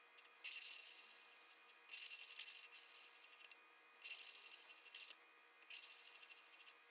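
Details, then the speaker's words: 1974 Honda CB350F engine valve lapping by hand: gritty, hissy rubbing in four back-and-forth bursts with quiet gaps, fairly even scrape getting smoother each time; seat nearly lapped in on this compound. "So you hear that sound getting kind of smoother sounding each time, so that's probably about good right there on this compound."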